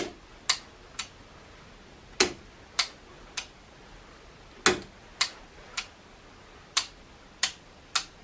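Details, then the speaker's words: Transformer plugged in through a lamp limiter, with the range selector switch possibly not working properly: sharp dry relay clicks at irregular gaps over a quiet hum; the owner suspects the lamp limiter is dropping the voltage. "gone ahead and I plugged in our lamp limiter and uh yeah we are getting a bit of action I think that relays just clicking because the lamp limits is knocking the voltage down a little bit"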